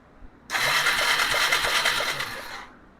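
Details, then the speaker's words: 2001 Yamaha Bear Tracker 250 ATV that sat a long time with a fouled plug: about two seconds of buzzing starter cranking with a soft uneven chug, never firing. There is no spark. "Yeah, I don't see any spark."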